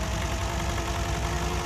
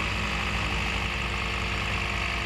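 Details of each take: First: Toyota Yaris idle with shaking engine, coil on cylinder 4 pulled showing no RPM drop: low, lumpy idle with uneven shake, one cylinder not firing; misfire from a dead ignition coil, fixed by replacing the coil and all spark plugs. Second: Toyota Yaris with a misfiring engine caused by a dead ignition coil, after replacing all spark plugs and coils 1, 2 and 4. Smooth, even idle with a steady low rumble and no stumble or missed beats: normal idle.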